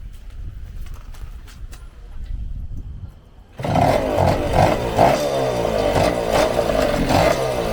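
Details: 1974 Indian ME100 two-stroke dirt bike being revived after purchase: quiet, then the engine fires at about 3.5 seconds and settles into an even, crisp buzz; normal running.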